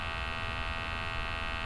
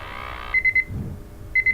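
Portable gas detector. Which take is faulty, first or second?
second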